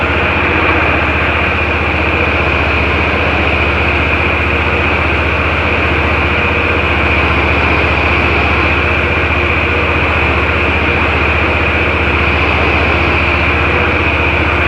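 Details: Ferris IS-3200Z mower with Vanguard engine, after a hydro oil change on its ZT-5400 pumps while air is purged from the lines: steady even engine drone with a light regular pulse, no knocks or grinding; runs smoothly.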